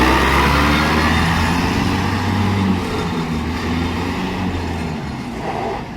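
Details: VST Shakti MT 270 small tractor after gearbox repair and full reassembly, driving home. Steady, low, even diesel chug with no grinding or whine from the drivetrain; normal running.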